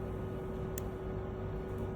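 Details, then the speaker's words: Fuel injector on test bench during ECU tuning diagnosis: one crisp click on and a single fainter click off over a steady hum, unlike a faulty injector's double click on off; normal fuel injector click. "Okey, ini contoh injector yang function dia. Okey, dengar bunyi dia on,"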